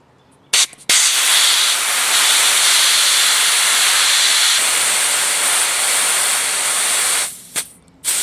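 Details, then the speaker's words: Oxygen cylinder from a bi-gas torch, nearly empty, vented outdoors to convert it into a high-pressure compressed-air reserve: loud steady high hiss for about six seconds, then sharp cutoff. There was still fair pressure; afterwards it is empty, the check valve rattles, and it still needs a full purge. "Voilà, il n'y a plus de pression dans la bouteille, et si vous secouez, vous entendez l'anti-retour qui se promène, donc ça veut dire qu'il n'y a plus rien."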